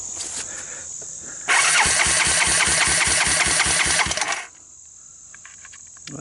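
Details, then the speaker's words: 1988 Honda TRX200SX, abandoned several years, starter jumped directly: single cranks about four times a second with even compression puffs but never fires, no carburetor fitted. "it sounds like it has some compression uh it's not wearing a carburetor"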